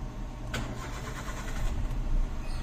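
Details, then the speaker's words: Hyundai Eon three-cylinder, customer complains of hard starting, no fault codes; fuel pump suspected next: starter churns steadily a few seconds before engine finally catches; long-crank hard start, cause not yet found. "Ah oo. Ano nga talaga siya? Hard start. 3 cylinder lang to. Dapat madali lang paandarin to."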